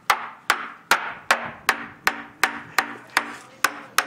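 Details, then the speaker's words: Used sailboat rudder hammer-tapped during a survey, about two and a half taps a second. A flat, dull tap instead of a crisp ring shows the skin has separated from the core. "That's actually not too good there. Yeah. That's where the skin is separated from the core."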